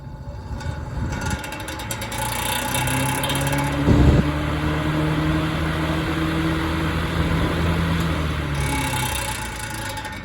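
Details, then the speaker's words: Vintage Lasko electric fan, possibly 1950s: motor hums with a loose, uneven rattle as it spins up, hub visibly wobbling in worn bearings; only fix is replacing them. "just look at that hub when i turn it back on as it's rattling you can see how much it wobbles in there in the bearings"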